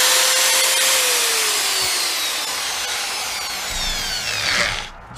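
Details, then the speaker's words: DeWalt drill after replacing a burnt armature with a donor-drill part, reassembled, some visible sparking: high clean motor whine dropping smoothly as the trigger is released, spinning freely with no grinding; drills well. "Wow well I'd say it drills pretty good make sure to have that bit in there tighter"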